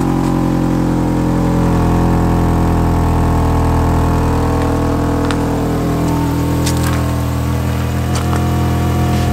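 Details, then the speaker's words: Mini Cooper cold start: loud idle with uneven, lumpy beat and occasional ticks for a short time, like a missing cylinder; head gasket suspected, coolant combustion-leak test results unclear. "have a listen to this and let me know what you [Applause] think ready for this it only does it for a short amount of time but it is there"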